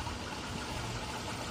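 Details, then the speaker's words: Mercedes-Benz A150, AC not cooling and refrigerant pressure zero: a steady, rough grinding roar from the underbody AC compressor over the idle, noisy even with the AC switched off. "Suaranya berisik banget ya jadi walaupun asing enggak dihidupkan itu dia berisik temen-temen"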